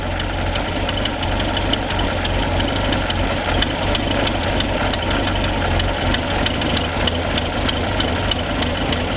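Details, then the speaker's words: Peugeot 205 CTI after fitting a new starter, idle raised via the throttle-body adjustment screw: fast idle with uneven, stumbling beat and occasional skipped firing; engine still missing slightly. "et là de l'avoir augmenté mon bal moteur il tourne un peu mieux même si on entend encore qui manque un petit peu quelques chaudes"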